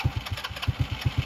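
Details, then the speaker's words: Polaris RZR 170 youth side-by-side after stator repair, battery a little weak; previously took about five minutes to start: catches right away and settles into a steady single-cylinder thump about eight beats a second, even and clean; normal quick start and idle. "now this thing normally it would take probably a good five minutes to start and"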